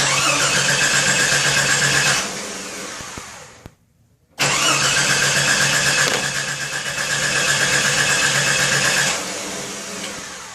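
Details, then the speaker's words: 1989 Jeep Cherokee Renix engine cranking during crankshaft position sensor test, meter on AC volts showing no reading; steady starter churn about four beats a second, no catch or firing, pause, more cranking: crank no start, owner suspects dead crankshaft position sensor. "nothing so i definitely think my crankshaft position sensor is dead unless i'm doing this incorrectly"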